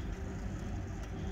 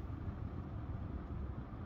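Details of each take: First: Four-ton variable-speed air handler with the blower set too high: a steady heavy roar at the supply vent, measured near 1000 feet per minute, with 54-degree supply air. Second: HVAC air handler supply vent after airflow/fan speed was set correctly, 70°F home and 49°F supply air (about a 21-degree split): low, even rush of air with no roar or whistle; normal quiet airflow, earlier loud sound gone.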